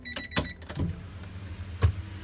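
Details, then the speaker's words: Honda Civic at key-on after the faulty main relay (part IC17, fails in cold weather) starts working: a short, low electric whir with a couple of relay clicks as the fuel pump primes normally. "Fuel pump primes, everything's good."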